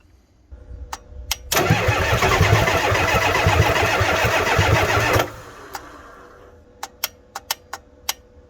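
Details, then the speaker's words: Ford F350 7.3 IDI diesel, cold, starter repaired: starter drags engine over slowly, about three compressions a second, several seconds with no catch; weak batteries cause slow cranking. "Alright, we've tried cranking on this thing a few times. The batteries are just too weak."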